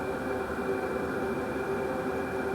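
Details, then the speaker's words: Wippro 8KW all-in-one diesel heater, newly assembled, running on high, mic close to unit: steady even whoosh of air with faint hum and thin high tone, fuel pump ticking barely audible; normal running. "and obviously this is on high so the fan noise is a little loud but it's nothing crazy especially for how much heat you're getting"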